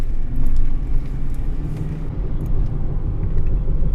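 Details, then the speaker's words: 2007 Ford F-150 5.4 V8 4WD on a test drive at about 25–30 mph: a low droning hum under road rumble, louder when steering left and quieter to the right; owner concludes the driver's side front wheel bearing is worn. "let's go test ride and you can hear the humming noise already a little bit when you go to about 25 30."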